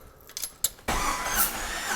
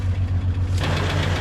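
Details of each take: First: 2000 Jeep Cherokee XJ, 4.0L, low miles, cranking with the spark plugs out during a compression test: a steady starter whir with even pulses. Cylinders read about 135–150 psi, within the 120–150 spec, so it passed. Compression is healthy. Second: 2000 Jeep Cherokee XJ just started, with oil pressure: a deep steady idle with a fast, even tick about ten per second. Coolant in the oil is suspected, and the engine later ran rough and got warm. Cause not confirmed.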